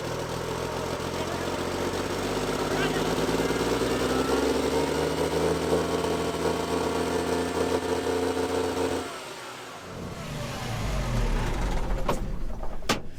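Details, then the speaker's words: Old Cummins L10 diesel semi truck, stored roughly 23–30 years, just started; races at high unsteady revs without returning to idle, then drops sharply. Runaway; cause not confirmed. "started to run away on me hell yes"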